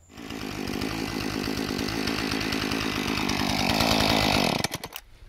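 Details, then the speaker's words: Husqvarna 435 chainsaw restarted hot after sitting, with one primer pump and about 3 pulls at roughly 80-something °F. It runs clean and steady, building revs smoothly for about four seconds before shutting off. The owner thinks clearing a plugged gas vent fixed the hot no-start. "yanked her about 3 times, fired right to life. So I think I fixed it."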